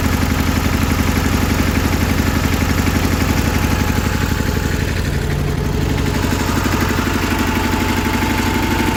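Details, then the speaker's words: Idle on a 1984 John Deere 316 with rebuilt Onan B43E twin, fresh gas and new fuel filter: loud, slightly uneven beat, about four thumps a second, occasional dropped pulse; miss clears somewhat once warm, owner suspects a carb cleaning will fix it. "Once it's been running for a while, it clears up and it runs pretty strong, but you can hear the miss. Just a simple carb cleaning should do it."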